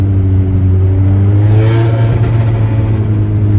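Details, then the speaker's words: Audi S3 with Milltek catback exhaust, engine revving: tinny metallic rattle riding on the revs, coming from inside the muffler; owner unsure what inside may have broken. "Ce son vient directement en fait du silencieux. Du coup je sais pas ce qui se passe à l'intérieur, je sais pas s'il y a des trucs qui se sont pétés entre guillemets."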